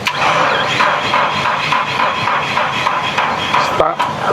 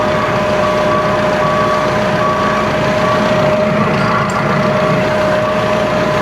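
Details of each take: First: Komatsu forklift with dead battery, new alternator fitted earlier, jump starter connected: rhythmic, labored cranking about three pulses a second that never catches; battery too weak, likely damaged by running long with the failed alternator. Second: Komatsu forklift with new alternator, idling with battery positive disconnected: engine keeps running evenly with steady high whine, no stumble or dropout; alternator generating enough voltage, battery suspected damaged.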